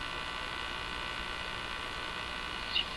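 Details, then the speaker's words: Crosley 43FB farm radio during shortwave trimmer alignment, tuned to a Portuguese broadcast: steady high-pitched buzz over quiet hiss; owner believes it is interference, source unconfirmed. "I believe the buzzing is interference."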